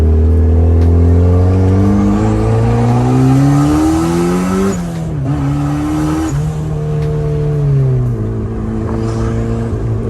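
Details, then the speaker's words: Turbo Miata driving with flex pipe ripped out right off the downpipe, before repair: loud, coarse, tractor-like drone rising and falling through the gears; exhaust leak at torn flex pipe. "Got the part. Listen to this tractor."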